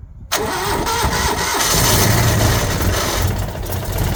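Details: Citroën 2CV engine that wouldn't start after sitting, with fuel drained back below the pump; after hand-priming the float bowls with a priming bulb it catches straight away after a brief crank and settles to an even, steady idle. Normal cold start.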